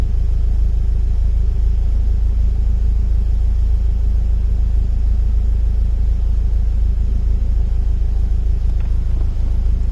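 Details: BMW E36 M44B19 intermittent rough idle: deep steady rumble, revs dip as O2 sensor voltage and lambda integrator drop randomly; sensors, ignition, air leaks, fuel pressure, MAF, ICV, hoses and injectors checked, cause unknown.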